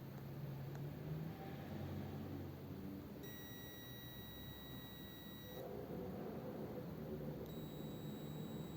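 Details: 1932 two-door sedan with non-working overdrive: continuity tester on the repaired overdrive switch, contacts pressed in but not yet crimped, gives a clean steady high beep about two seconds, then briefly again; the switch closes properly.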